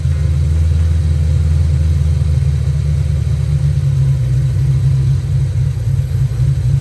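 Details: Ford Foxbody Mustang with misfire, after swapping the distributor pickup and TFI module: deep rumble rising and falling with revs, ragged and uneven; misfire traced to a faulty distributor, spare also bad.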